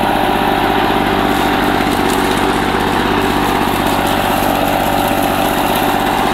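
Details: 1984 Lawn Boy two-cycle push mower, found roadside, after a rebuild of its clogged carburetor and clogged exhaust: crisp, even two-stroke buzz holding steady speed without stumbling or surging; runs cleanly and healthy.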